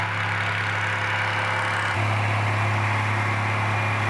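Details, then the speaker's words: Roughly 78-year-old two-cylinder water-cooled Onan generator, no load, after it kicked back and puffed smoke through the air cleaner while cranking; even, steady low hum with a firm regular beat, no knocks or misses. Normal idle. "that sounds really good let's see what happens when we TR put a load on"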